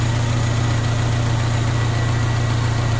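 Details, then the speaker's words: 1998 Honda Civic VTi, idle hunting: idle is high but with aircon on it nearly stalls, drops very low and hiccups; it died when aircon switched off. Heard here as a steady low idle with an even throb. "Mataas ang idle pero pag ng aircon mamamatay-matay oh. Ayan oh, sobrang baba. Tapos sinisinok."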